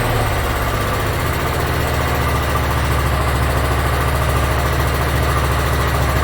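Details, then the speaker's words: Yard Machines (MTD) 42-inch riding mower, single-cylinder engine, after carburetor cleaning and freeing a stuck emergency shut-off: steady, even low thump at idle, no misses or knocks; runs pretty good. "all right looks like it runs pretty good so i'm going to go over a few other things"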